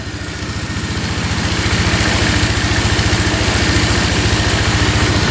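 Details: 2002 Polaris Magnum 325 4x4 ATV, bought not running and needing a carb clean, just started without choke. An even single-cylinder thump settles into a smooth idle with no misses or knocks, no smoking and no carb leaks; sounds really good.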